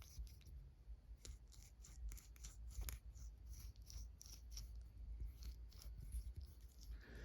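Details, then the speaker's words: Losi 8ight nitro truggy (Dynamite .28), inner clutch bearing turned by hand next to the microphone. Dry, scratchy rasping in uneven bursts; grit found inside the bearing, while the outer bearing is fine. "sounds kind of gritty you see that grit on my finger that just come from inside there and this is on the inside of the clutch"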